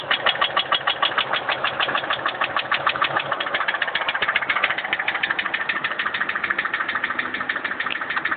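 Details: Mercury Marauder V8 at idle: sharp, steady metallic knock, several blows a second, after the engine detonated and broke a piston.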